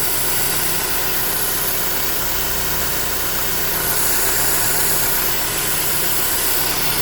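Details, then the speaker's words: 2009 Holden Cruze JG 1.8L F18D4 petrol, auto, idling: strong airy vacuum-leak hiss from the cam cover with cracked internal PCV valve, tone changing partway; causing white exhaust smoke, cover to be replaced. "So when we start the car, you can hear that this side is a hissing noise, like a vacuum leak inside."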